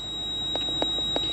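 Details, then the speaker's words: Short sharp beeps about three a second in a quiet cabin of a 170-series Toyota Crown Majesta (1UZ-FE V8), ABS warning chime with ABS and brake lights on. "the noise is the beeping so I'm dealing with a beep for the ABS the whole time but I haven't turned it off because sometimes it goes away when um it faults"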